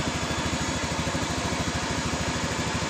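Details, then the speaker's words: Honda Beat Pop scooter that sputtered and lost power on throttle: after propping the fuel pump regulator, pressure rose to 20 PSI; steady, even putter at idle with no missing; runs normally with this emergency fix. "jadi ketika kita mengakali di bagian dari dari injeksi atau di bagian full pumpnya Motor ini langsung normal seperti ini"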